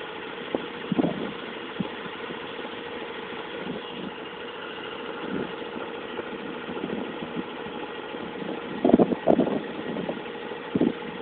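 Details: Mazda RX8 idling steadily with occasional sharp knocks at irregular intervals; owner also reports slow revving at low revs, cause unknown.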